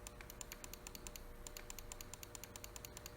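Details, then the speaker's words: Mouse after replacing a worn Omron switch causing double-clicking with a Japanese Omron switch: crisp, evenly spaced single clicks, no chatter, feels snappier with different click sound; double-click fault resolved. "the one thing I would say about this switch over the original is that this one feels a bit snappier the clicking sound is also different on the Japanese switch versus the Ch"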